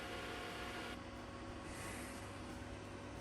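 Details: Beldray 700W socket-mounted electric fan heater in a campervan on hook-up power, just wired in and switched on: soft, steady airy rush with faint constant hum, no rattles or ticking, pumping out hot air; running normally.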